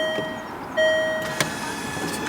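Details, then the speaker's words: Land Rover Freelander 2 projector headlight levelling motors, refitted with rear covers off after fuse-blowing fault, Philips Ultinon LED bulbs: short bursts of thin steady electric whine starting and stopping cleanly; motors operating normally. "oh there we go you can hear them operating okay so let me just try that again okay"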